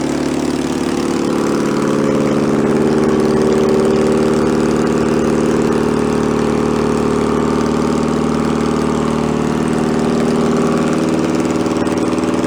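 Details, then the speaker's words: 1966 VW Bus flat-four engine from a barn, running out of the car, choke on: steady raised, even buzzy idle that never drops back; carburetor throttle sticking and not returning. "the car was kind of sticking to it's not return it step it up it's got a stepper on this is as the choke warms up it turns itself off and the idle comes down lower and lower"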